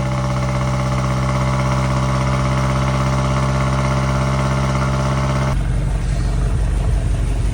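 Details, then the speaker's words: BMW M8 Competition after replacing the fuel injectors and the expansion tank, with the fuel system adaptation done: a smooth, even V8 idle with no misses. The engine runs healthy, though an exhaust leak somewhere at the rear is suspected. "She is running. Sounds like she's running good. She's idling good. Everything's good over there."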